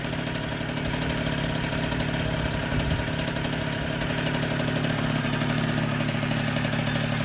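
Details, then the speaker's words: 1964 NSU Quickly S23 3-speed moped, first start after engine rebuild, crank internals oiled so some smoke expected: steady even popping at about four beats per second, no misses or rattles; two-stroke idling cleanly. "And it's popping like a Swiss."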